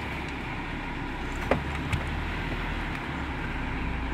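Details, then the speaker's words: 2010 Suzuki Grand Vitara, engine idling after blower motor power stage repair: steady low rumble with even fan rush and brief clicks; AC and blower working normally. "we can turn it back on and start the motor let's get some air conditioning hot hot man"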